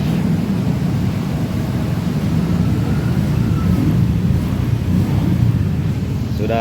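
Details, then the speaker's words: Honda Vario 125 scooter with a dead dashboard and no electric start despite a 13 V battery: after the dirty connection is dealt with, the engine catches and settles into a steady, even low idle; starting normally again, though the fault later returns. "it works. It's okay again."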